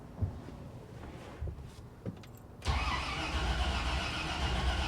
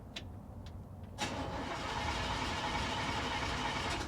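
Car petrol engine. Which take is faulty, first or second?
first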